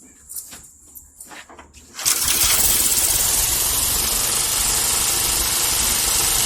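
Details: 1979 Parmi/Lazy Boy B 400H vintage recoil-start push mower being revived after years in storage: catches after a couple of seconds of fiddling and settles into a fast, even, steady run; healthy.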